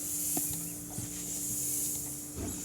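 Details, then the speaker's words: Bicycle inner tube that has sat for months and can't be pumped up: a steady high, thin hiss of air escaping from the hole at an old patch that failed to seal. "you can hear this one I can't really pump up, because there's my hole."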